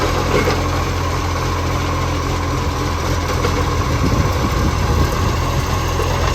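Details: Heavy diesel idle with a deep, uneven rumble and rough puffing edge on a Mitchell garbage truck (1040): exhaust leak.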